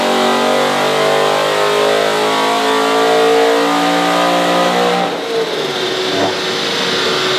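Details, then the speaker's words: Supercharged BMW E92 M3 V8 on a dyno, first base-tune pull after warm-up: hard pull with a rough, uneven edge; ECU reports misfire and ignition disabled on cylinders 7 and 8, same fault as before. "I think it's broke oh no you got a Miss fire on 7 and eight oh dear same oh ignition disabled 7 and eight"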